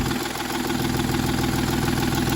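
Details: 2010 Volkswagen Touareg diesel that stopped while driving: lumpy uneven idle with heavy off-beat shake as one bank of three cylinders isn't contributing; only DPF soot and particulate trap efficiency codes, cause not yet found.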